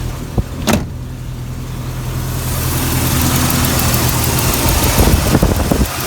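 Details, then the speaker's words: 1999 Jeep Cherokee 4.0 inline-six before replacing 60,000-mile plugs, slightly below operating temperature, idling about 800–825 rpm: low, steady, even idle with no misses or knocks. "Idling at about 800, I guess, RPMs. 825, something like that. So let's listen to the engine."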